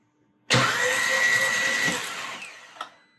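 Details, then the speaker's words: 2012 VW Beetle after engine swap (for slack timing chain, metal in oil), cranked with no spark plugs to prime oil: steady airy whoosh about 1.5 seconds with secondary air pump clearly audible; normal priming crank. "Sounds pretty good. You can really hear that uh secondary air pump when there's no rest of the engine running."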